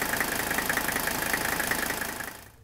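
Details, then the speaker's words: Older Mercedes diesel after new Monark injector nozzles: an even, steady clatter at idle without the earlier pulsating shake, smoothing off idle with the injectors quieter. "once we bring it off idle it's going to really smooth out you can hear those injectors quiet down too once again back at idle"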